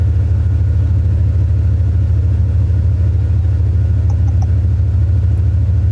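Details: 2001 Dodge Ram 1500 5.2 V8, long-sitting, after new spark plugs, fogging oil and gas tank repair: deep even rumble with steady quick pulse, no knocks or misses; idling smoothly, no codes stored.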